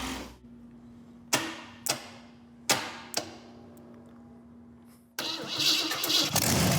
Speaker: I think you're good to go, sir. I'm very happy with that. That sounds like a good engine.